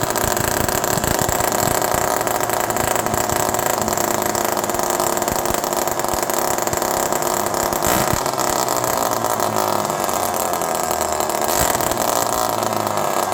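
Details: Homelite Super Mini chainsaw running with no muffler, outdoors in the cold, low jet at 1.5 turns. The unmuffled two-stroke screams at a constant high pitch and never drops back to idle. An air leak is suspected, not confirmed.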